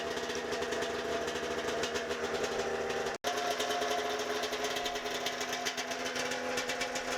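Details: A pull-start 1992 Arctic Cat snowmobile two-stroke runs after the ignition and safety switch fix, with the carb uncleaned and heavy smoke. A fast, crackly buzz holds an even beat with no misses; the engine is running steadily.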